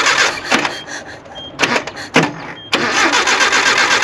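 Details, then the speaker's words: Classic Nissan 720 pickup, sat about 20 years: several short cranking bursts, about four turns a second, never catching. Owner suspects an ignition issue; carburetor also not happy. "That ignition issue might be getting us."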